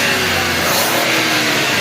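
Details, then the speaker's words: 2022 Suzuki Alto after replacing the alternator bearings: light revs blip up smoothly with a clean, even roar; the earlier alternator bearing noise is gone. "हा बस अभी जो जो है ना okay बिल्कुल भी अब नाइस वगैरह कुछ नहीं है"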